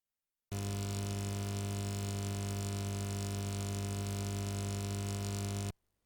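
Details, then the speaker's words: Steady low buzz with a bright hum on top at constant level from a speaker or audio system. Cause unconfirmed; a ground loop is offered as the most common cause of such continuous buzzing. "are you worried about this annoying sound coming out of your speaker or music instruments or your car audio system then this video is for you"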